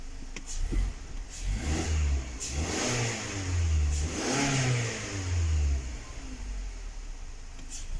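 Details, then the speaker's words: 2019 Mazda 6 GDI petrol engine revving: uneven surges with a rough, stumbling low note, long cranking, P0300 random misfire; spark plugs and coils already checked, fuel injectors suspected and replaced. "والسيارة فيها الترتفة وهذه اهتزاز لمبة الماكينة ولا طبعا لاحظوا عندي هنا أغلبها كلها فيها مسفاير."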